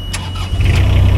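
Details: Small roller with 34 hours, apparently brand new, bought unseen at auction: a short crank catches quickly into an even, steady diesel idle with no stumbling; a clean, healthy start.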